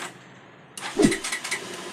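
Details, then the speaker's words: Bajaj Pulsar with a faulty 4-pin relay cutting ignition power: the engine only starts while the relay is held straight, then dies when released; after a quiet pause it suddenly catches and fires in uneven bursts, with a rev attempt. "చూసారా, ఇలా పట్టుకోగానే బండి start అయింది. ఇంకొద్దిగా రేజ్లో పెడతాను, మీకు sound బాగా వినబడుద్ది. ఇప్పుడు ఇలా ఆగిపోయింది."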